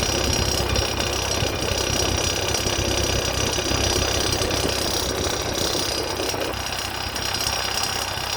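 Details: Ford 8N tractor idling steadily with a rough, uneven knocking about three beats a second; cause of the strange noise unknown.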